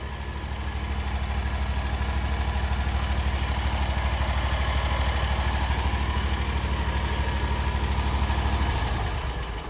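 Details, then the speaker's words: Kawasaki FX850 engine on a Hustler X1 mower, idling: light quick tick each revolution from loose rocker arms; valve clearance too loose, valves need adjusting during service. "You can hear a a slight tick in this engine. What that is is the valves need to be adjusted. They're a little bit loose. And when them rocker arms are sitting there flopping, you can hear them clap clattering a little bit."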